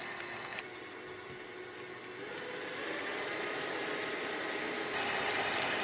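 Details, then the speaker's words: Kenwood kMix 500 W stand mixer with K-beater at gentle speed; even motor hum and smooth whirr that swells slightly as it works the mix, no strain or grinding; normal running. "That's not a problem. And now we start adding icing sugar, which doesn't sound too bad."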